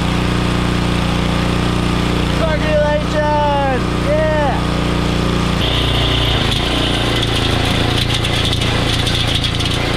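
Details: Troybilt Pony tiller, 5 hp Briggs & Stratton, after carburetor main jet cleared with copper wire: small single-cylinder engine settles into a steady, even run outdoors; now running normally.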